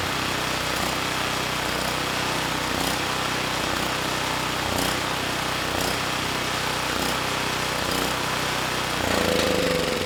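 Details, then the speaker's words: Campbell Hausfeld GN503100AC generator, Briggs Vanguard engine with clone carburetor, after 20 µF capacitor fitted, no load: runs steadily and makes power but hunts/surges in speed; running slightly lean. "yeah it's not perfect without a load there is a surge so we're running a little bit lean"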